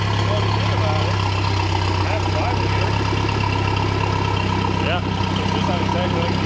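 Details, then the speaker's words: 1967 StarCraft Holiday boat, four-cylinder engine, first start of the year, water circulating and warming up: low, steady, even idle with no misses, knocks or hunting. "we got water circulating let her warm up a little bit"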